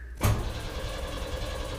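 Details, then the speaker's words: 1991 Chevy S10 Tahoe with new correct starter, coil wire disconnected: sharp click then even, steady cranking whir, no grinding or thumping, after a wrong-housing starter was replaced. "Yes. No thumping, no grinding. It sounds really nice. That sounds like I got the right starter in there."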